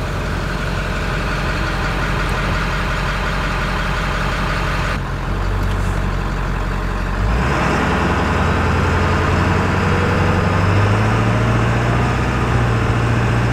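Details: 2000 Ford F250 7.3 Powerstroke diesel on a test drive with the windows down, after replacing the front hub and bearing assembly: deep, steady clatter pulling evenly as speed builds, no knocks or misses; a healthy engine.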